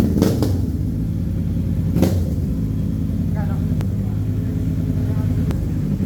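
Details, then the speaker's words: Kawasaki Ninja 650 after the backfire-removal work: a deep, steady exhaust rumble with a couple of short blips and no pops or cracks on the overrun; it runs clean with no backfire. "Okay guys, ayan ito na yung after nating ginawa remove back fire."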